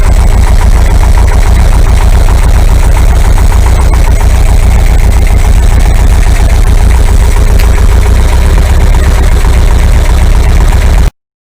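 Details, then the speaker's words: Air-cooled VW 2-litre flat-four bus engine, top-end rebuilt, 2,000 km since; fully warmed up, chokes fully open, carbs being balanced for airflow. Steady, low, even idle with no hunting, misses or surging. Normal warm idle. "Okay, so now that the engine is fully warmed up, chokes are fully open, that's nice and hot, everything is running fine, engine's nice and stable."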